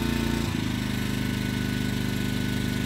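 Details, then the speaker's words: Yamaha 2000is generator (2000 W peak) on propane, running a Pioneer 9000 BTU 110V mini-split drawing about 8 A. The outdoor compressor kicks on and the generator's rpm picks up, then settles and holds smoothly; normal running under load. "here it was outdoor compressor kicked on so yeah the Yamaha definitely picked up in rpm if you can hear it"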